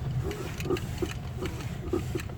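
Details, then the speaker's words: Lada Vesta, front right, while coasting with the clutch pressed and turning the steering wheel sharply left and right (silent when accelerating): dull, uneven crunches and clicks about twice a second over road rumble; front suspension crunch. "И начинаем крутить руль вправо-влево. Вот такой вот хруст."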